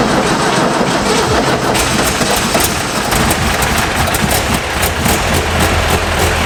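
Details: 1958 Porsche 356A Convertible D, air-cooled, sitting 20+ years, first start on a charged battery and blown-out fuel lines: uneven, lumpy running with a fluttering beat that never settles; carburettors need rebuild kits.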